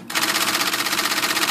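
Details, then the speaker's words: 1977 IBM Selectric typewriter bought on eBay as working, no maintenance for 25 years; motor catches after brief hesitation, then fast even clatter, carrier returning and moving sluggishly, has problems. "working sort of not quite returning or moving very good that's trying but it's got some problems"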